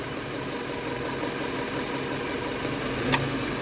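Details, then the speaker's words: 2013 Subaru XV, 66,867 km, after new AC compressor, condenser and evaporator: steady smooth idle with one sharp clutch click as the compressor cuts in; normal AC cycling, 6-7 °C vent at 34 °C ambient. "คอมแอร์ตัดต่อปกติเสียงการทำงานเป็นปกติค่ะ"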